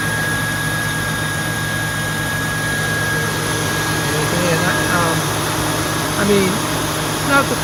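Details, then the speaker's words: 2002 Mustang GT after radiator fan replacement (Dorman 620-139), started with AC on: steady whooshing fan and idle hum, no rattle or slap; earlier broken-fan-blade noise gone, fan runs clean and evenly. "okay she's all done now start up the tr the car and uh turn on the air conditioning and see how the fan sounds"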